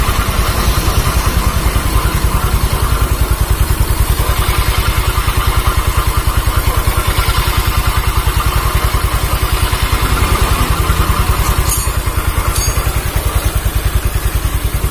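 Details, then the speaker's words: Automatic scooter repaired after running out of oil, radiator refitted, ridden about one hour: a steady idle thump about three per second with a rough low growl from the rear, smooth when the wheel is spun forward. Suspected driven-pulley clutch, not certain. "oke itu adalah suara dari klaker puli kalau analisa saya karena ada di area belakang"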